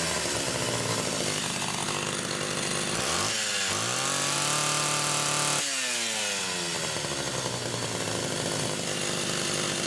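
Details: Rebuilt Homelite Super XL SDC carburetor test-run on a known-good test saw with a Phelon electronic coil: screams at full throttle, then drops and climbs again, heavy and blubbery up top rather than crisp; rich on the high-speed side.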